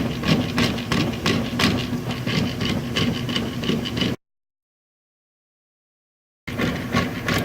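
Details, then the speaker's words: Kenmore/Whirlpool washer not agitating: rapid regular clacking about three per second over the motor hum as worn inner cogs in the agitator clutch assembly slip; fixed with cam kit 3363662. "your washer is not agitating and it has this type of sound the problem is the inner cogs in this clutch assembly that rotate the agitators are not working properly they're actually worn down"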